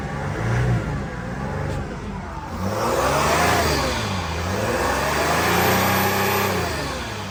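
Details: 2016 Mercedes Sprinter 3500 Freightliner ambulance, 3.0 diesel, replaced with new OEM engine, about 90k–110k miles: pitch climbs and falls smoothly through a few blips, even and free of knocks or rattles; normal engine revving.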